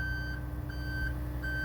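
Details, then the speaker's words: Aerial 498 apparatus at the scene with the aerial PTO engaged and the diesel idling: after the outriggers switch at the access panel is turned on, a steady high beep pulses about every 0.75 s as the left outriggers extend. Normal outrigger warning beeps. "You come to the access panel and you come to the switch which says outriggers on. You'll hear the beeping."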